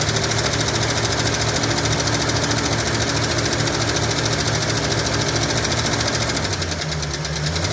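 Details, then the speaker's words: 1965 Ford Mustang, reportedly with a replacement 302 V8, first start after sitting 33 years with a seized engine: a fast, steady light tick keeps pace with a rough, lumpy idle and does not go away; no smoke yet. Suspected valvetrain tick, unconfirmed. "No smoke as of yet. We'll see what happens after a little while, but nothing yet. That lizard tick ain't going away either."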